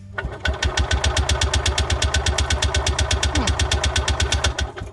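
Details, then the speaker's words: Freightliner (Parcar) golf cart said not to get fuel, on a newly fitted battery: strong, even cranking at about three compressions a second for four seconds, never firing. Crank no-start; the fuel line looks blocked. "So, I did disconnect the fuel line, and I don't know what you can see in there. It looks kind of blocked."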